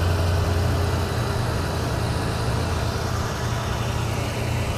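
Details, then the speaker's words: 1993 Ford Mustang GT V8, EEC-IV cylinder balance test: fast idle dipping slightly and recovering as each of eight injectors is cut, no big drops; all cylinders pull evenly, normal. "you can hear that the car is revved up and you'll hear as it goes through each injector it should rev down a little bit then it'll rev back up Rev down a little bit rev back up as it goes through all eight injectors"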